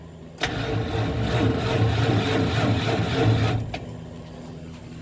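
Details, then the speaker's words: 1970 Dodge D100 after rewiring, battery drained from repeated work: sluggish, labored cranking for about three seconds then dies off; the run-down battery struggles to turn the engine and needs charging. "I've been messing with the battery a lot so I killed the battery I need to put it on a charge"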